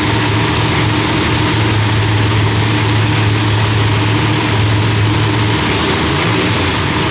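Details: Loud, lumpy V8 idle with a deep steady rumble and no backfires or pops, firing cleanly after the distributor trigger was switched from rising to falling; mixture still sounds rich; timing was about 6° off; different heads, idle still being tuned.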